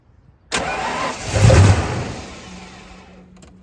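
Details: 1995 Ford Bronco parked for years, fuel pressure dropping, after fitting a new fuel pressure regulator (old one possibly gummed by old gas): starter cranks, engine catches on starting fluid with one short surge then fades instead of idling; injectors suspected, noid light test next.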